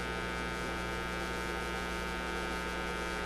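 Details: Motorola MK-56R AA5 valve radio after replacing a bad tube: loud steady low mains hum with buzzy overtones at switch-on, no program audible; failed filter capacitor.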